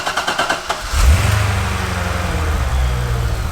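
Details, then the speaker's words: Wrecked Chevrolet C6 Corvette Z06, sitting about 2.5 months, first start after sourcing parts for the no-start problem: a few quick cranks, then it catches with a sharp bark and settles into a steady, even, deep idle; healthy start. "Just like that. She runs."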